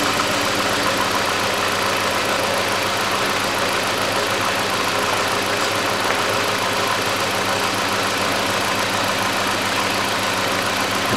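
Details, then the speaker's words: Hyundai Accent 2006, 1.6 petrol, manual, after the throttle body was cleaned. Uneven, shaky idle with a stumbling beat under dense engine clatter, the engine won't run smoothly. Ignition coil misfire. "хочет она нормально работать ровно этот болтается и это тоже"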